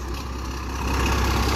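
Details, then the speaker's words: 12-valve Cummins dually with new OEM fuel pump, mileage 235: deep steady diesel clatter at idle with an even beat and no misses or knocks. Normal idle after the repair. "good God I wish I wish my 12 out was that loud"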